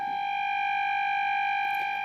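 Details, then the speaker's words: Radione WSH3 vintage tube radio (E438 and B409 tubes, no electrolytic capacitors), fed an 800 Hz test tone from a signal generator during tuning: a steady high tone carries a faint rough buzzing hum, blamed on the old filter capacitor and choke, due for replacement. "but you can probably hear that this signal is not quite um quite clear I will turn this a little bit down okay it's not clear because um this radio does not have electrolytic capacitors it has only this capacitor which I will also need to to replace because it's quite uh quite old"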